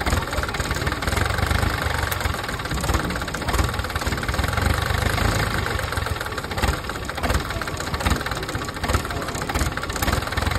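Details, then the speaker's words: PC10 excavator diesel that would not start, after fuel system work: idles low and lumpy, rhythm sagging and surging unevenly because air is still in the fuel system; bubbles visible in the return line until it bleeds out. "O malamya pa kasi may hangin pa yung ano natin ah tingnan mo yung return bubbles pa."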